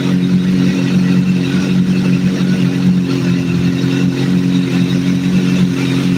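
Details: Idle captured during a vacuum sync, after adjusting number 3 until it is as good as it's going to get: steady, even idle with a smooth low hum and no misses, hunting or clatter; the engine is running normally.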